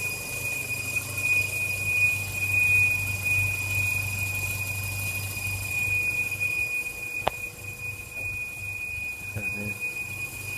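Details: Acura engine at idle: a steady high squeal that seems to come from everywhere, initially suspected as the alternator, found to be the water pump installed 53k earlier.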